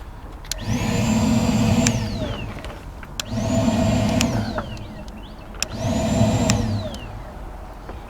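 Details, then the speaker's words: 2009 Ford Fusion with P0410/P0491 secondary air faults, electric air pump under intake manifold commanded on with a test tool: three bursts of high whine about 1.5 s each; pump runs, heard loudly through its inlet tube at the air filter housing. "I heard the pump run didn't mean to have the switch hunt listen sure sounds like the pumps in a different location than what our visual inspection showed"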